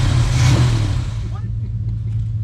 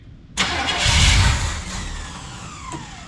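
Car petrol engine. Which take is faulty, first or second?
second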